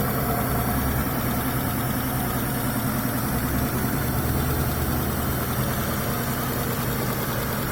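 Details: Mitsubishi Galant V6 engine test after fitting new rod and main bearings: low even idle hum with no bottom-end knocking; normal idle.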